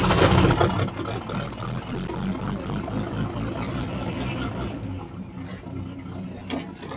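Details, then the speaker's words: 1953 Chevrolet 3600 3/4-ton pickup first start after fuel pump replacement, choke in use: rough catch and rising burst settle into a low, even idle rumble; sounds pretty good, very minimal tapping noise. "man that's actually sounds pretty dog on good got some very minimal uh noise from the tap it"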